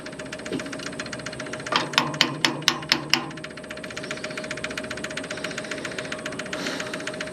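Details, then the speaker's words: 1970s Onan RV backup generator, long stored; light-pressure electric fuel pump priming before start, quick even light ticks with a few louder knocks, pumping normally. "say this thing should be a very light pressure fuel pump on here not nothing crazy okay so we got that that's working good"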